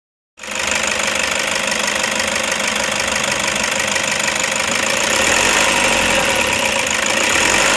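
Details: 2007 Toyota Hiace 2KD 2.5 turbo diesel van at idle: metallic rattle about three or four times a second with clutch pedal up, silent when pressed to floor and when the fork is held tight; clutch fork rattle, owner plans grease or tension.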